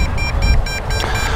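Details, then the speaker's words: MJX Bugs 2W GPS FPV drone controller after a range-test flight: rapid high disconnect beeps, about four a second, as the link to the drone is lost. "we can hear that the disconnect beep is really fast"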